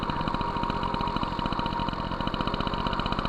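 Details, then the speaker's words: MBK 51 Magnum moped with stock engine and Dellorto PHBG 15 BD carburetor (main jet 68), being tuned: with the mixture screw fully closed, fast crisp two-stroke popping races high, so the 48 idle jet is too large. "j'ai fermé complètement le régime s'emballe ça veut dire que le 48è trop gros"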